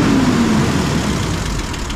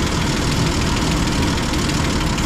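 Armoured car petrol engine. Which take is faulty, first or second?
second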